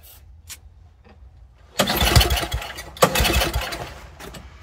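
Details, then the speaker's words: An old Toro snowblower that sat over a year, with the fuel turned back on and the carburetor dripping, gives weak pulls and a few seconds of ragged firing, then dies. It is suspected flooded and pouring fuel; the engine will not keep running. "It acted like it wanted to run there for a second, didn't it? Huh. We're just pouring fuel out."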